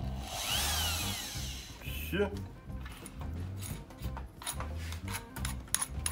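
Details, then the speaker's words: Q-Grant 650 BKN drill after replacing the broken trigger button and reverse switch: spins up with a smooth rising whine and runs evenly, forward then reverse, over background music; motor and switch healthy. "вам видно было реверс работает тут году только делаем [музыка] парень и в обратку"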